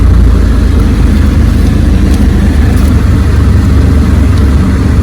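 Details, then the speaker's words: Ford Escape 3.0 V6 after repairing bitten-off vacuum hoses: steady even low rumble, no stumbles or misses, idle much smoother and more consistent — normal smooth idle. "The idle's much smoother, more consistent."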